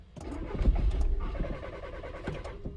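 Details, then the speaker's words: 2013 VW Jetta 2.0 TDI diesel with crank/no-start, cam sensor already replaced and cam sensor performance/signal codes stored: cranks a few quick beats, catches and runs rough, then dies; typical start-stall. "right so that's pretty much what it's doing the occasional time it'll it'll start and stay running but for the most part it's just the start stall"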